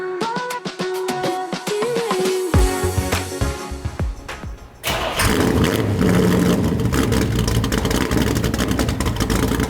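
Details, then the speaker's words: 1981 Corvette V8, started after exhaust and motor mount repairs: steady, deep rumble with no clanking, rattles or puffing from the pipes; normal exhaust sound. "so far so good it sounds great the exhaust has no more clanking noises there's no sounds that sounds like the air is being funneled a weird way like no no poofing noises there's none of that so i think it's all fixed"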